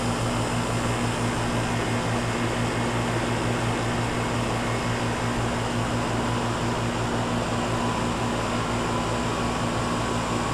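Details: 1995 Tempstar 5000 air conditioner condenser, 30 years old, at its first startup of 2025 after sitting since about October: even, steady fan rush over a smooth low compressor hum with no rattles or cycling, running normally.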